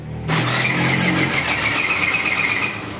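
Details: Hero Maestro scooter on the electric self-starter: a harsh whirring grind with a thin squeal while cranking for about three seconds. Abnormal starter engagement is suspected; the clutch side will be opened to check.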